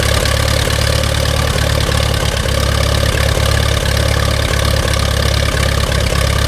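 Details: Allis-Chalmers WD-45 tractor engine idling after carburetor rebuild and reinstall: loud, steady low chug at an even pace with no stumbles or knocking; normal idle.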